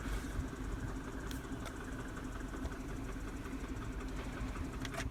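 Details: 2007 Mini Cooper (non-S) N12 petrol engine idling: light, fast ticking over the low hum, on the left side of the engine; began after an hour at motorway speeds, fades above 2000 rpm, also when warm; new tensioner didn't fix it.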